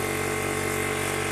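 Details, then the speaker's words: Imported 1300 W PCP high-pressure air compressor filling; loud steady mechanical drone with a constant mid-pitch hum, no knocks or surging. A healthy compressor is very noisy; normal running under load. "Hai seperti pompa pada umumnya ya untuk suara memang berisik ya sobat ya kalau kompresor yang masih bagus suaranya itu mas sangat berisik sekali"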